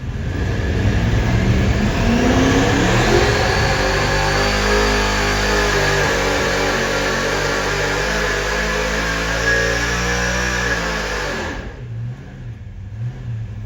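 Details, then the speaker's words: Supercharged 483 big-block Chevy on methanol with 4150 alcohol carburetors on dyno, distributor switched to rear magnetic drive: deep roar climbing cleanly through revs, no popping, drops off cleanly; normal full-throttle pull after fix. "Thank God for that because we run over in the back and it clears it up and it sounds like this."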